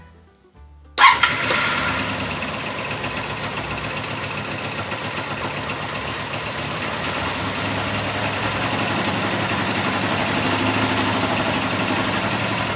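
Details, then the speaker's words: 1984 Honda VF750F first fire-up after a starter motor swap: fires abruptly, then a loud clattery idle with a busy top-end rattle over the exhaust. Cause undetermined; owner suspects cams or badly maladjusted valves. Fuel leak noted; may be running very rich and smoking. "The major problem was it was incredibly rattly coming from this end, and can't really determine what the cause of the rattle was. It sounded a little bit top end, it could be cams, might just be incredibly maladjusted valves."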